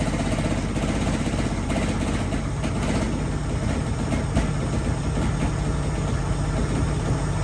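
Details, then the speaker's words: 1975 mail Jeep, water found in the oil, oil pressure lower than before (was 40); heavy uneven low knocking under rough idle that doesn't let up, owner suspects a rod bearing; knocking at idle. "Sounds like a bearing. A rod bearing. The oil pressure is not as good as it was either."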